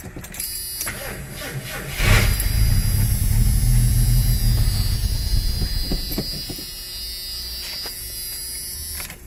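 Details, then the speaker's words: '82 Ford Granada, first start attempt after purchase, running on starter fluid in the carburetor; cranks, catches and runs rough about four seconds then dies, not getting fuel, fuel level unknown; carburetor needs rebuilding. "Well, it did that much. It would be cool if it stayed running."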